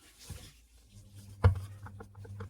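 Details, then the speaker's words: Ceiling fan with new 6201 and 6202 bearings and fresh rewinding that still made noise: shaft rocked by hand gives one sharp clunk and several light taps from play at a worn bearing seat, though the bearings themselves are new and free. "यह देखिए कितनी आवाज कर रहा है। जो आवाज इसको नहीं करनी चाहिए।"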